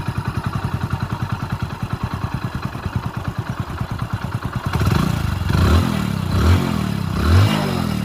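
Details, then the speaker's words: Passion Pro motorcycle after an engine rebuild and cleaning, following a roadside stall: steady, even single-cylinder idle thump with no knock or rattle and no smoke, then clean throttle blips; runs perfectly after the repair. "Smoke ఏది రాదన్నమాట మనం engine చేసిన తర్వాత ఎందుకంటే cutting పద్ధతి అయితే clean చేశాం కాబట్టి ఎలాంటి ప్రాబ్లం అయితే ఏమీ ఉండదు బండికి అయితే సూపర్ అంటే సూపర్ సెట్ అయిపోయింది"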